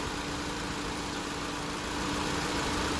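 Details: 2016 Honda Civic using R1234YF refrigerant, being recharged through the low side with a gauge can: engine idling with compressor clutch engaged and condenser fans on, giving a steady mid-pitched compressor hum over the even idle; AC compressor running normally.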